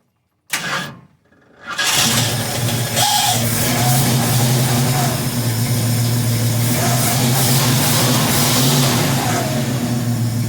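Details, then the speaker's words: 1971 Ford Mustang Sportsroof (351 per tags) after 14 years sitting, battery possibly weak, carburetor leaking at accelerator pump: short crank, catches quickly, blips once, settles into steady even V8 idle without stumbling; normal start and idle. "Man, that sounds good. I may throw this car back together and start driving it."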